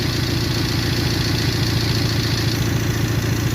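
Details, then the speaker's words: 1998 Toyota 4Runner four-cylinder, waste-spark ignition, towed in: idle with low uneven pulse, three to four stumbles a second, from cylinder misfire with no stored codes; scope shows one cylinder lacking spark burn time. "it's a Toyota 4Runner it has a Mist fire but it doesn't have any Cod"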